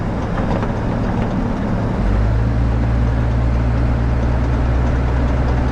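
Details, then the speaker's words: 1997 Dodge 3500 on the move: heavy low rumble settling into a steady deep drone with a faint repeating beat; first blamed on left hub bearing, owner concluded noise most likely from worn rotating front axle U-joints. "the noise most likely was the rotating U joints over there I made that decision based on the fact that this right side failed on me and it was making that noise"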